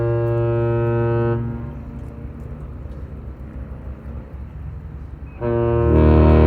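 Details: James R Barker lake freighter arriving at Duluth at night to load iron ore, giving its salute. Deep, steady horn blast cuts off, then sounds again loud and full; the horn salute blows cleanly.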